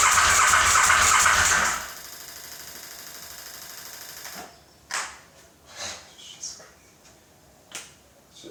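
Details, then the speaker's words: KTM 950 SM on car battery with gravity-fed fuel funnel and starting fluid sprayed into carb inlets, second attempt: starter spins hard but engine never fires or coughs; spark confirmed at plugs, owner suspects ignition or fuel delivery; crank, no start. "All right. T number two. Nothing. So it might be ignition or throw."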